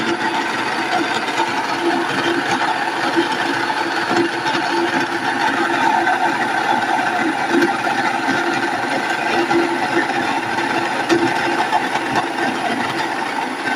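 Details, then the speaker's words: Nutrimill Harvest stone grain mill on fine setting with berries: steady, even grinding roar with constant motor hum, stones click when empty; normal grinding. "Then you can hear the stones clicking, making noise."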